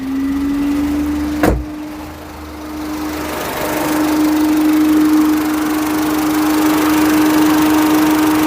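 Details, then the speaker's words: Peugeot 207 after oil leak repair, warmed up to temperature: steady engine hum with cooling fan rush building, heater pipes warm, no leaks seen; normal idle with cooling fan running. "that's the fan on that's got up to temperature there's no sign of any leaks anywhere"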